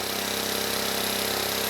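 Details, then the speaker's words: Vintage 1970 Honda E400 generator, not run in over a decade, after carburetor rework, running briefly without its cooling shroud: steady even drone with a fine regular pulse, no misses or knocks, putting out 130 volts; engine sounds healthy. "all right let's give this a try 130 volts and the engine sounds good"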